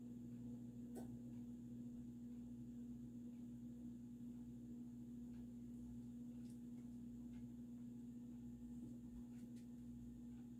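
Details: Supreme Mark II 52" spinner ceiling fan, early 1980s, variable speed control turned down; steady low hum holding one pitch, louder at low speed, possibly from a solid-state control; motor hum from the speed control.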